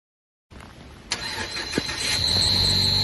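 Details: 2016-or-newer-generation 2018 Mazda 3 manual: steady high-pitched squeal rising over engine when engaging clutch, started recently, shifting fine; owner suspects clutch needs replacement, not confirmed.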